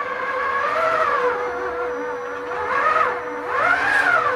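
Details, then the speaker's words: Two-stage planetary gearbox (3.18:1 reduction) for a rideable quadruped walking machine, lifting a load at low power, not even full speed: a smooth gear whine rising and falling in pitch with each lift, no knocks or grinding. Gearbox runs healthy under load. "lifting and it's on hardly any power. It's not even full speed."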